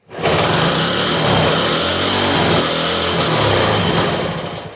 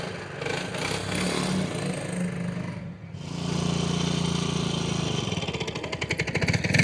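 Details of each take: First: 1963 Honda Sport 50 (CA110), first start in years, spark plug and carburetor unchecked, on choke with fuel fed in: the small single fires and rattles hard at full throttle for about four seconds, then fades and dies; owner blames the carburetor for fuel starvation. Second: 1963 Honda Sport 50 (CA110) after tuning, still not fully dialed in: the small single starts right up and buzzes along steadily, picking up cleanly through the revs with no misses or knocks; running normally.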